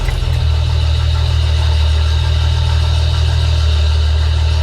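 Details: Restored 1971 Datsun 240Z engine at a steady, even, low idle with no knocks, misses or rattles, and oil circulating. Shortly after, it would run a while and then die as if out of fuel.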